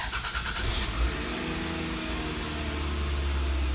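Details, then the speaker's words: Start right after throttle body carbon cleaning: engine catches, flares briefly to high revs, then drops back to a steady, even idle within seconds; normal start. "this rpm is gonna be high and there's gonna settle back down"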